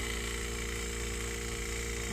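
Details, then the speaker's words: Wine cellar beverage cooler after replacing a bad relay, overload not yet changed, no gauges fitted: steady even compressor hum with no rattles or clicking, condenser fan kicking on near the end; normal compressor running. "going. That sounds good. Yeah, my fan kicking. Yeah, you see my fan kicking. So, I think this cooler is okay."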